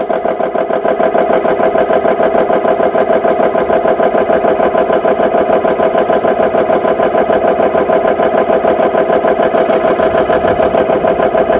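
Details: GX CS3 high-pressure compressor after repair with four new O-rings, no filter fitted, filling an air gun toward 3,200 PSI, at about 2,900-3,000 PSI: even, rapid piston thumping about three strokes a second, steady under fill load; running healthy.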